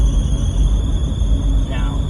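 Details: Daihatsu Atrai at idle, steering hard and oil reappearing underneath: steady high-pitched squeal over the idle, holding pitch, eventually stops; owner suspects the power steering hose, unconfirmed.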